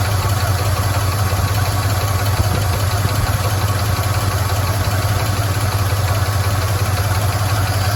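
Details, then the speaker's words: 1977 Chevy C10 Custom Deluxe V8 with automatic, first run after sitting since about 2006-2007: steady, deep idle with light, uneven, rapid ticking on top. Noisy lifters; a broken flex plate also clunks, and the water pump isn't pumping. "so we know it runs we know we've got some noisy lifters"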